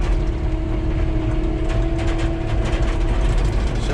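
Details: John Deere 650K dozer diesel after fuel filter change for a low fuel pressure message: steady, even idle with low smooth drone, no misses or knocks; pressure now reads 5 psi, a clogged fuel line suspected.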